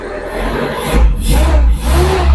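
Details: Espass 1,600 cc running on CNG after swapping the tank's high-pressure regulator for a Poligas low-pressure regulator, original mixer: engine picks up cleanly through a few throttle blips and settles between them, no stumble or misfire; runs properly.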